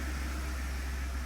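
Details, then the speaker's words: Ford 2.7 EcoBoost after water pump and thermostat replacement, first start, cold before the thermostat opens: quiet, even low hum with no knocks or ticks over fan hiss, no leaks; normal idle. "Quiet. No leaks other than where your boy spilled some. No leaks."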